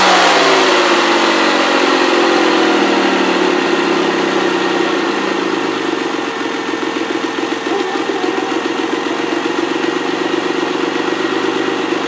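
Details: Ford ST200 V6, first run after head gasket and timing chain repair: settles from a brief rising start into a steady idle with no knocking, rattle or chain slap. Healthy.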